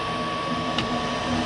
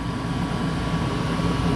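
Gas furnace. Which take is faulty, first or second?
first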